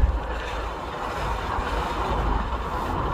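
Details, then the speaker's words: GMC full-size all-wheel-drive SUV, Vortec 4200 inline-six, 251,000 km, driving: low, steady metal-to-metal growl under road noise, louder with speed, from the front end; front differential suspected, engine and brakes seem fine; front drivetrain growl. "so it's definitely the the drive train I could hear a growling sound it's like metal to metal"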